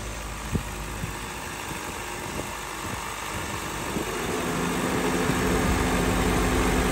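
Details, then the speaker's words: Car A/C 1/4 charge low on refrigerant, idling in 94° sun with doors and windows open on fresh air: compressor clutch clicks every second or so, then cycle time extends with a steady hum as more hot air loads the evaporator. "it's not getting all hot air but you can hear the cycle time is a little longer now listen and you can see the cycle time"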